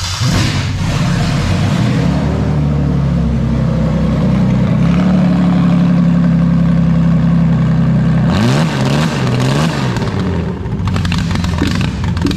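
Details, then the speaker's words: Toyota/Lexus JZ engine revved with the mass airflow sensor unplugged; revs climb then hang flat at one pitch, capped by a rev limiter around 3000 rpm, then sag back toward idle. "not very happy so basically yeah she'll hit like a little rev card there's about 3000 rpm it'll go and run run run run run or do what it did in this case and just die out and then go back to idle or so on so that's what she'll do if the meth is unplugged"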